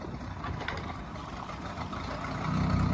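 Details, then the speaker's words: Volvo Penta 4.3 with aftermarket throttle body fuel injection, boat load test in a tank: low idle sags when shifted into forward or reverse, then the computer brings it back up and steadies within seconds; normal idle recovery. "I like how it corrects itself when you put it in gear it kind of stalls it and brings it back up go go to reverse okay neutral I like how it kind of comes down and the computer corrects it"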